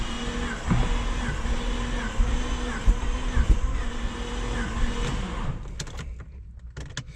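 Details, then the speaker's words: Project Bravo engine on a new battery; the fuel pump primes and there is a strong fuel smell. Uneven, slow cranking nearly catches but never fires. The owner suspects no pressure and that the just-installed Fel-Pro head gasket didn't seal. "I don't know it almost sounds like there's no pressure sounds like it wants to go"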